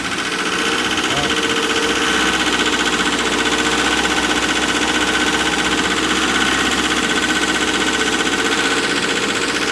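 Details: Wacker Neuson ST45 skid steer with Perkins diesel, clicking noise heard, then would not shut off with key: loud diesel clatter held at high, even revs without slowing; runaway diesel, owner later learned air intake must be blocked.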